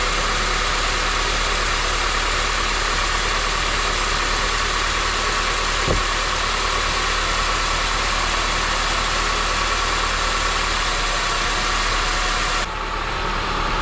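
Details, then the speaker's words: Turbo Honda Element K-series with new BullBoost intake manifold and billet throttle body, first start: steady idle under a loud, constant airy hiss from an intake vacuum leak; no idle air control valve, check engine light on. "we fired the car over with the intake manifold everything sounded good other than the vacuum leak which is right here"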